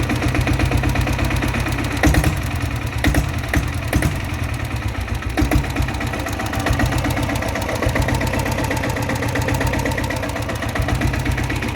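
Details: Greaves Cotton diesel Bullet single after tappet adjustment fixing a tik-tik noise that appeared once warm: steady, even thump at idle with no tapping over the top; valve train sounds right.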